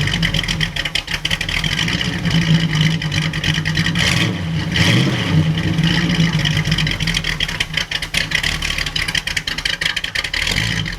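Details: 1937 Buick Century street rod, 400 cu in small-block Chevy, Edelbrock 600 chokeless carburetor: smooth even V8 idle with steady low rumble after spring start, plenty of oil pressure and charging.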